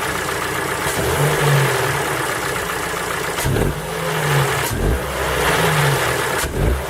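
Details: Ford Focus 3 PNDA engine cold, revved in repeated short bursts with a hard tapping knock under the drone as revs rise; cold-start knock, cause not pinned down.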